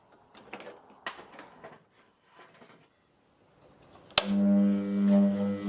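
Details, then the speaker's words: Restored old bench grinder with new motor bearings, repaired guards and new tool rest, test run after reassembly: steady low hum with faint slightly uneven throb; slight vibration, believed mostly from right-side wheel not seated true. "थोड़ा कंपन है, और मुझे लगता है कि यह ज्यादातर है क्योंकि वह राइट-साइड व्हील काफी सही ढंग से नहीं बैठा है"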